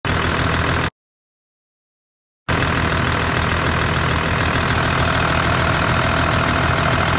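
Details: Kinugawa CT26 turbo at idle with a hard, regular rattle, about four beats a second, from the turbo, plus white smoke; turbo failure suspected, not confirmed.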